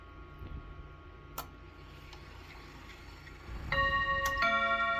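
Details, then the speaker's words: Serviced chiming clock, hour strike test: soft ticking, then a few clear bell strikes that ring and decay; with the hand on 1 it strikes 4 times, yet strikes 2 at 2; owner suspects the seashell mechanism; hour strike miscount. "So actually what happened is I had it right. But for some reason, unbeknownst to me, when the hour is on the 1, it strikes 4 times."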